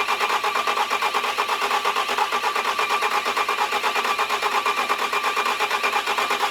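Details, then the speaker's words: Bobcat diesel after cam lobe cleanup, oil flush and a new fuel pump, unused for a long time: fast, even starter chug at about four or five strokes a second without firing; cranks but won't start, cause unconfirmed. "so the Stute YouTube Watchers probably notice it's a different day and that's because we couldn't get it started last night"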